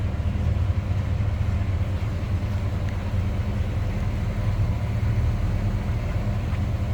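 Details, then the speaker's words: 1971 Chevrolet C10 Cheyenne Super V8 truck heard from the rear: deep, steady, even idle rumble with no misses or knocks, a mild, non-obnoxious exhaust, healthy running. "Nothing crazy over the top as far as exhaust or anything obnoxious there. Just nice sounding truck."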